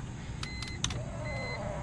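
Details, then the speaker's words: Electric seat rails on a BMW E46 wagon with a bucket seat welded on, tested after install with key on: a few dash chimes, then a smooth, even motor whir moving the seat up and down; normal power seat motor operation. "hey seat works yup up and down"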